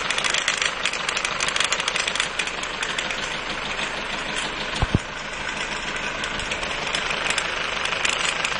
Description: Mercedes 190D 2.0 Diesel timing chain with problem.